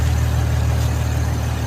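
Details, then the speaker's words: Infiniti engine after vacuum and PCV hose replacement with the original PCV valve refitted: smooth, deep idle with no hiss or whistle, completely quiet. The aftermarket PCV valve made noise, so the owner suspects it. "Let's go ahead and test it out now. It's completely quiet now."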